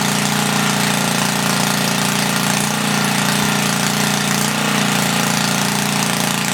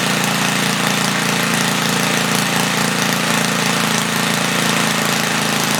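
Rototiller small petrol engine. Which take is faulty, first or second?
first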